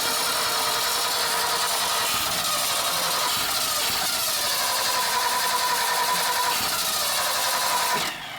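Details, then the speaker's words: 1976 Ford F-600 dump truck after new solenoid, alternator, water pump and fuel filter: engine fires, roars roughly a few seconds, then dies abruptly; getting fuel and spark, ignition/electrical fault suspected, possibly the points. "up, but we can't get it to stay running. So we're trying to figure that out right now. We think it has something to do with the ignition or something electrical, because it's getting fuel and spark. So. Fires right up and shuts right back off."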